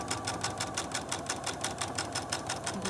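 Light, crisp, even ticking at about three stitches a second with no thumping or grinding, a correctly threaded machine sewing normally.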